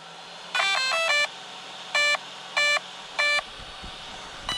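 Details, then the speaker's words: Arrma Vortex RC truck first power-on: quick cluster of chirps, then three evenly spaced beeps about 0.7 s apart, the speed controller's normal startup tones, with both fans working; normal power-on beeps. "both fans are working it's a good sign"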